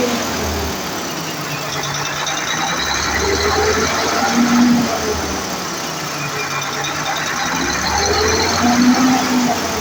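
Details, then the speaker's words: Mercedes-Benz Actros V6 diesel after replacing the injector nozzles and electronic unit pump that caused RPM fluctuation and hard starting: even, steady idle with no hunting or surging, just a smooth, settled rumble. The RPM fluctuation and hard starting are resolved. "the problem no flation of RM anymore RM is moving fine in the ICU and the high starting issue has been resolved"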